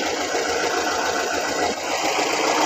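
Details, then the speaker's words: 2002 Kia Visto petrol engine after repairing stripped/broken exhaust manifold bolts and adjusting valves, which caused the earlier rough noise: idles with a fine, even patter, no knock or stumble; smooth and healthy. "Dan sekarang mesin sudah halus, sudah mantap ya."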